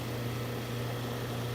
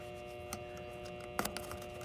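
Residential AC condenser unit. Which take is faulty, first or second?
second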